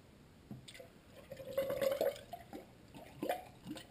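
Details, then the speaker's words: 1993 Honda Accord cooling system being bled and filled through a raised funnel, watching the thermostat bleeder valve; quiet gurgles, bubbling and a gulping sound as coolant rises and trapped air works out, normal air bleed. "sounds like we got it. It's bubbling a little bit. And we got the gulping sound."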